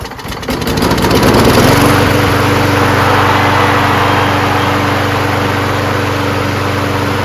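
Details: Craftsman self-propelled mower with a 6.5HP Briggs Quantum, after carb cleaning and freeing a stuck float needle: catches after a brief stumble, possibly from flooding, then holds a steady, even drone with no misses or surging.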